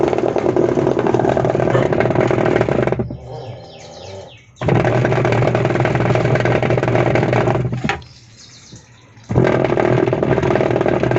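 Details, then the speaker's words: Videocon washing machine (Kelvinator) harsh, rattling grind in bursts with each agitation stroke; failed gearbox, to be replaced with a new gearbox. "ఈ విధంగా washing machine sound వచ్చినా కూడా gear box ప్రాబ్లమే."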